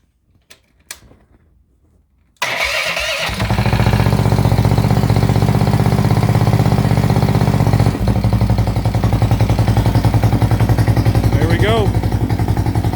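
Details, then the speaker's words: Coleman Stage 3 build with a 420 engine, not run for a long time, crankcase vented to a catch can: choke up, key start, a few quiet clicks, then it catches at once into a steady, even idle with no misfires; normal start and idle. "thing runs beautiful it was an amazing"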